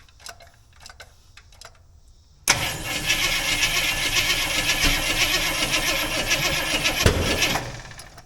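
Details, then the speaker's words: Jeep FSJ/SJ Cherokee engine with choke open: steady fast starter cranking about five seconds with only a faint pop, never catching; no start, likely because the distributor was installed backwards. "neither that's a sign so I guess I put that in backwards n no good"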